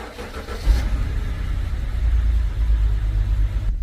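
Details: BMW 528i with N20 engine showing P0303: rough, lumpy idle with an uneven low throb. Cylinder 3 misfires from a faulty ignition coil, causing shaking, power loss and smoke; the coil was then replaced.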